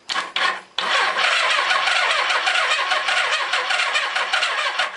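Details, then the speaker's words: Suzuki GS850 motorcycle, four-cylinder, sat outside over 10 years, starter solenoid jumped: starter turns over hard with uneven galloping rhythm, no firing; owner suspects low compression on one of the four cylinders. "Well, the starter works. It's turning over real hard though. Got a bit of gallop in it, so it sounds like I've got low compression on one of the 4 cylinders."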